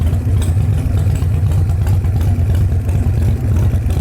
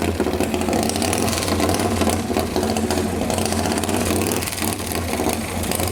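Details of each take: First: Display bike just fired up: deep, loping V-twin thump at idle, uneven but steady beat, no knocking or rattles; idles fine. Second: Display motorcycle with fluid sprayed in: rough, uneven firing catches a few seconds then dies; brief start then stall, owner suspects it just needs cleaning out, not confirmed.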